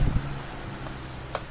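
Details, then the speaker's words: Older Arno pedestal fan, about 10 years old, overheating and noisy, after disassembly and repair, on lowest speed (which previously barely worked): soft steady hum with no rattle or scraping, running normally. "velocidade mínima aí velocidade mínima não estava funcionando praticamente né Aí ó pessoal ficou 100% ventilador filezinho todo"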